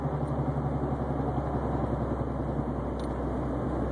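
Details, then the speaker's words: Subaru Baja at 151,000 miles driving: steady road drone with low throbbing wah-wah from a bad press-in wheel bearing, rollers hitting a flat spot on the race as weight shifts; wheel not loose, bearings to be replaced. "cuz it's like every time I shift the weight on the wheel it hits a flat spot whenever the rollers are going over the flat spot inside the bearing race is what's making all that noise"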